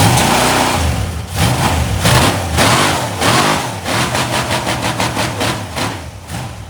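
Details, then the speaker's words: Cheap LS 4.8 LR4 V8, hot, revved hard on a run stand before teardown: rough uneven pulsing internal knock worsening as revs hold; earlier suspected lifter or piston, unconfirmed. "all right the noise is getting worse and I don't want to damage my heads that I want"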